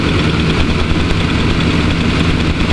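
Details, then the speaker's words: Rolls-Royce that stalls once hot, with new coil wire and 150-ohm 8mm plug wires, warm in park: steady even hum with no misses at a noticeably raised idle, which drops a couple hundred rpm in gear; high idle. "Now that idle seems a bit high, but whenever you put it into gear, it lowers it, drops it down a couple hundred RPM, and it settles in nice."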